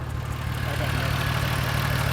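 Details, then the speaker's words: 2003 Mazda 6 Duratec V6 after throttle body replacement, no check engine light: low idle that lumps and stumbles unevenly; misfire present before the repair remains, cause not yet found. "like I said there's still a misfire to the engine don't be alarmed that was there before we were just just trying to take care of this no check engine light"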